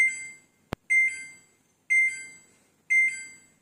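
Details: Samsung front-load washing machine showing dE door lock error: high electronic beep bursts, one each second, in a quiet room; fix is replacing the door lock switch.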